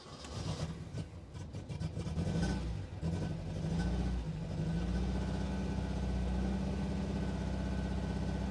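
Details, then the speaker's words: Restored 1969 Alfa Romeo GTV 1750 (1779cc), cold start: it cranks briefly, catches cleanly and settles into a smooth, steady idle, with about 60 psi oil pressure cold. A normal cold start. "okay anyway starts right up idles smoothly"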